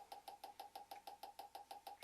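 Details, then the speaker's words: GM LS2 (D-580) coil-near-plug ignition coil, first bench test on 12 V; spark a bit louder and different from the LS1 coil, possibly from more energy (unsure); crisp, evenly spaced snapping about six per second with a bright ping each; firing cleanly. "First thing I notice is the sound is a little different of the spark. I don't know why. It may be because it's a little bit more energy. I'm not sure, but it's louder, a little bit louder."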